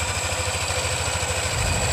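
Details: Yamaha NMAX 155 (new) after valve rocker arms (pelatuk klep) replaced for rough engine noise: steady, even low putter with constant pitch and no tapping or rattle; idle smooth again, normal.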